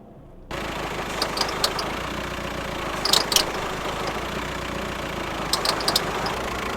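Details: VW Transporter T5 diesel idling with short high chirps and squeaks as the steering is turned; noise fades when revved, with cabin vibration; a seized alternator one-way overrunning pulley, fixed by replacing the pulley.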